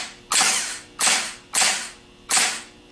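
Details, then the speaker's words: Rebuilt Nippon Denso gear-reduction starter on bench, short fast burst test of the Bendix: four sharp bursts, each snapping in and out quickly with no hanging or drag; normal starter engagement. "what we're going to be testing for is we want to see that the Bendix snaps in and out very very quickly"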